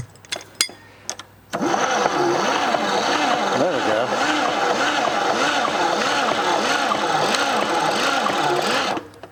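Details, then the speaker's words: 1947 International KB3 fuel truck engine, seized for over 30 years, first crank after valve and engine work: slow, labouring crank at about 3.5 turns per second, doesn't catch; starter not getting enough current, shorter cables suspected fix. "just ain't getting enough juice fed through it yeah not not enough current uh let's figure that out maybe some shorter cables and it'll turn over better"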